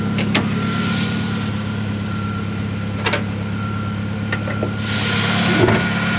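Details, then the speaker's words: 1993 Ford Ranger after repair, previous noises gone; smooth, even idle with faint steady hum, no knocks or taps, runs super smooth with good power; normal running engine. "running really good super smooth got good power get up gets up and goes where it needs to get to"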